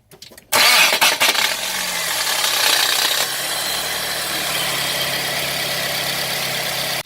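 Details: Car starter while cranking: harsh, loud whirring grind for several seconds and the engine never catches; starter sounds rough and noisy, suspected bad starter, not confirmed.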